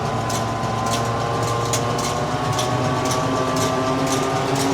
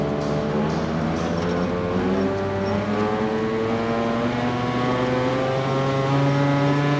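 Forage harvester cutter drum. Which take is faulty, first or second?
second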